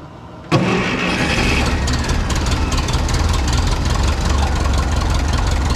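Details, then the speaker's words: 1951 Ferguson TO-30 tractor after new spark plugs, with carburetor back on: catches at once, steady even low idle, no misses or knocks; running healthy again. "work a little bit with the acceleration so we're back up and running i feel really good about the engine now we got new plugs carburetors on"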